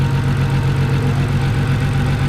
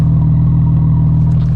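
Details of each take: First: Audi S4, first start after an injector upgrade, spark plug work and an ECU tune: heavy, lumpy idle with an uneven low thump of about four beats a second that never settles; misfire at idle; owner rechecks the connections. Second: Tuned Audi S4 with upgraded injectors, warmed up, no leaks and no check engine light: steady, even low rumble with no misses, knocks or ticks; normal idle.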